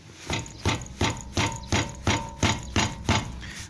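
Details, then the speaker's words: VW Jetta 1.6 automatic: a steady hollow knock about three times a second from the front left wheel, in time with wheel rotation. It began after both stabilizer links were replaced and stops when the brake is pressed. Front caliper or pads knocking. "итак смотрим стучит суппорт колодки переднего колеса двигатель 16 автомат"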